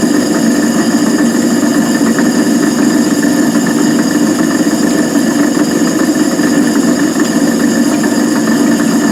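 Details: Van Wert coal stoker under a Gentleman Janitor JG5 boiler after six days burning pea anthracite: steady mechanical drone with faint irregular rattle from the stoker gearbox.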